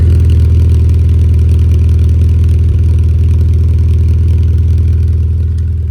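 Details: 1992 Rover Mini Cooper, 1.3 L single-point injection 4-cylinder, recorded at center-exit exhaust tailpipe: deep steady burble, even pulses about four per second, no misses or knocks; healthy smooth idle.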